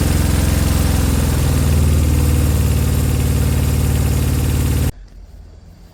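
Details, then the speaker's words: Honda CB200 motorcycle: low, lumpy idle at roughly four pulses a second that wavers slightly before cutting off. Uneven running, not too bad; the owner suspects the carbs need cleaning, not confirmed. "uh that to me sounded not too bad what did you think it sound bad sounds like the carbs need a good clean I think"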